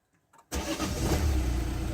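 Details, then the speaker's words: Diesel car, sounds like a 1.6, at 204,000 miles, cold start after sitting all night, no engine leaks: short crank, fires straight up without hesitation, settles to a steady even diesel idle; normal cold start. "Straight up, no hesitation at all. Sounds like a 1.6."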